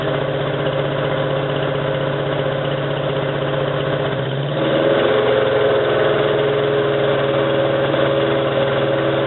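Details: 1987 Toyota 4Runner, high-mileage reman engine, cold start first thing in the morning, clutch in, then a throttle blip that stays rough: lumpy, stumbling idle, still misfiring after 3 minutes. Cause: cheap head gasket leaked coolant, cracking the aftermarket head and fouling plugs.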